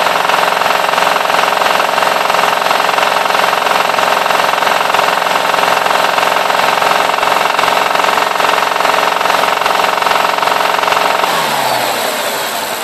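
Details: BMW E60 550i V8, hard revving: fast, fairly even clack about three per second over the roar, starting from about 2500 rpm and fading as revs drop; cause undiagnosed.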